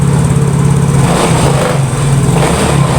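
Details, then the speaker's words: Yamaha Mio GT scooter, complaint of hard starting and dying on throttle, after battery check/charge: steady even idle with no surging, whereas before idle rose and fell; battery may be weak. "Oke, mesin sudah menyala dan langsamnya juga lebih stabil ya. Kemarin langsamnya kayak naik turun, naik turun, naik turun, naik turun gitu. Sekarang langsamnya lebih stabil."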